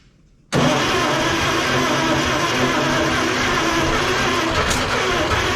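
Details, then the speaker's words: 1956 Plymouth Savoy 277 Poly V8, first start after sitting, no tank connected: catches at once and runs loud and steady on open exhaust, fed only by fuel poured into the carburettor, then dies out of gas; fuel supply needed. "cool now we got to get a tank hooked up that ain't sketchy bought out of gas that sucks"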